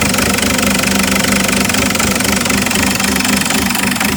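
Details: Isuzu 4JX1 diesel, Tech2 data viewed: loud idle with an uneven, lumpy beat and knocking that never settles into a steady rhythm; rough idle.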